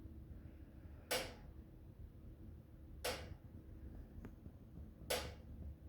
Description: My DeLonghi oil filled radiator is doing strange, loud clicking sounds as if turning off and on